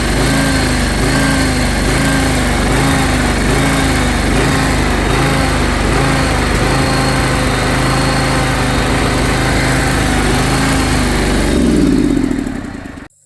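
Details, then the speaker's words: John Deere X540 mower after 20 years of neglect, needed full choke to start: idle rises and falls in slow regular cycle, hunting up and down. "in the video you just saw, it was idling up and down, up and down, up and down, up and down."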